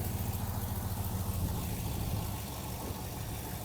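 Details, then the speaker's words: 2000-2007 GMC/Chevy Silverado 2500HD 6.0L just after throttle body replacement, idling after first start; low, even rumble that settles slightly and holds steady with no knock or hunting; no check engine light: normal idle. "Idling. That's another video for another day."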